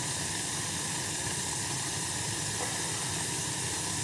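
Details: Gas boiler after its leaking gas valve was replaced and the valve set to about 3.5: an even, steady rushing burner roar with no popping, flutter or surging; the boiler is firing cleanly. The pilot flame is noted as too high.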